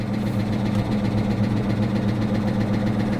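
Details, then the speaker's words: 2022 Honda Civic Sport at a salvage auction, owner wonders if it ingested water: idle with a dull, slightly uneven knock about four times a second, not revved. Owner suspects a slight rod knock, unconfirmed. "unfortunately that engine doesn't sound good I'm not going to rev it up it sounds like it may actually have a slight rod knock poor car"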